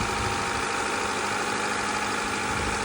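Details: Honda Accord (CB7) idling during cooling-system bleed, heater on, after busted thermostat-housing coolant hose replaced, radiator flushed, fresh blue Honda coolant; power steering pump a little loud on startup: steady, even idle under constant hiss, no knocks or misses; runs good.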